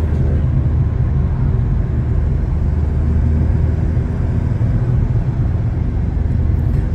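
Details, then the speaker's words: Chevrolet S10 while driving, also with a cracked exhaust manifold: deep rough rhythmless roar under road noise, front hub bearing nearly seizing and locking the steering; front wheel bearing roar. "ouvir rolamento do cubo dianteiro está praticamente travando o volante aqui tá rostinho"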